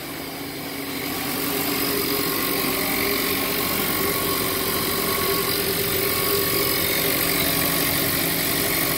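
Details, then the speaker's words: 1.4 TSI VW Jetta at idle: steady idle with a fast, fairly even metallic rattle about four per second, present since purchase; owner suspects the turbo, sounds like something spinning and knocking against something. "That rattle's always been in this engine since the day I bought it. Might have something to do with the turbo. You know, it almost sounds like something spinning and knocking up against something, like a fan knocking up against something, but very nice."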